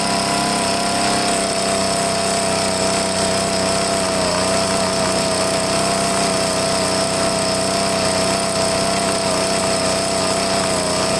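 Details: Troy-Bilt two-stroke leaf blower after carburetor cleaning, on half choke: a high buzz with slightly wavering pitch, not crisp, running lean. The primer bulb lost prime because the tank was out of gas. After refuelling and a slight carb tweak it ran good.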